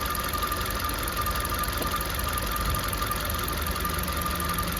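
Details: Maruti Baleno petrol, 52,639 km, at idle after start: a thin, high, constant-pitch chirping whine over a steady idle, most noticeable inside the car at night; water pump bearing noise, water pump replaced.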